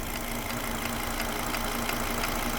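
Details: Volvo V70 II 2.4T idling with steady light ticking, five to six a second, from the V-belt area, a belt pulley visibly jumping. V-belt, pulley, timing belt and tensioner already replaced. Owner suspects wrong belt length (1825 vs 1841 mm).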